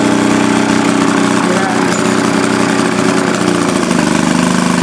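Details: 1937 Maytag Model 72 Multi-Motor twin-cylinder with WICO magneto, under restoration, refueled after it seemed fuel-starved, now under load: loud, steady, quick putter holding even speed with no misses; healthy normal running.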